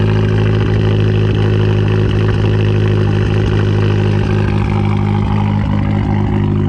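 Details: 2012 Fiat Abarth idling with a long-standing misfire: idle lopes unevenly, irregular stumbles and dips about three times a second breaking the beat; many small engine parts already changed, cause still unclear.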